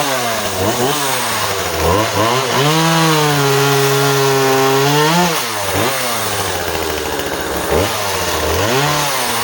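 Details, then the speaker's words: Husqvarna 136 project chainsaw, two-stroke, cutting small softwood: revs free, pulls down steadily through the cut and recovers cleanly; cuts well, chain could use sharpening, and the owner hears slight leaning out at the end, carb likely needs going through. "So she certainly cuts pretty clean. I'm sure the chain could probably do with a sharpen,"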